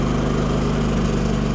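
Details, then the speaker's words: Firman WH3200iE dual-fuel generator on propane, just started, choke now closed: smooth, even hum at constant speed with no surging or misfire; quiet, normal running. "i gotta say it's i think pretty quiet"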